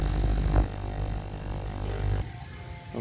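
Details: Ultrasonic jewelry cleaner after repair with a resistor added in series, tested at 30 W on a 1-minute timer. Low, steady buzzing hum with even overtones, no crackle or cutting out. Repair worked, cleaner running normally.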